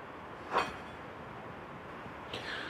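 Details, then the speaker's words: Ford F-350 front wheel turned by hand runs almost silently with no grinding or rumble, a good, quiet wheel bearing. "right, good and quiet."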